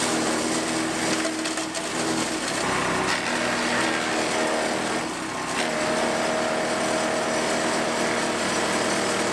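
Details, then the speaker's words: New PowerHorse 420cc wood chipper, freshly filled with one quart of 30-weight oil, holds a steady high drone while chipping small branches; no bogging or knocking, running healthy. "now let's give it a test run so i've got some little stuff here and then i've got one that's about two and three quarter inch and i'm just going to start with"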